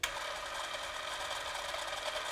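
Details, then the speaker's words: Eumig 128 XL cine camera in for maintenance, film drive running at 18 fps: only slight noise, generally fine, whereas a squeak appears at 36 fps. Soft, even whirring at a steady rate with faint mechanical chatter; normal running. "шум слышен, но совсем немного, так что в целом всё нормально."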